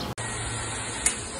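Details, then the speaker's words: Water pump after an air chamber was added to cure water hammer that shook the pump and pipes when it stopped: low, even hum, one light click, no shaking or rattle; normal running, vibration gone. "Terima kasih sekali lagi, alhamdulillah ini sudah bisa digunakan dengan baik dan getarannya sudah hilang."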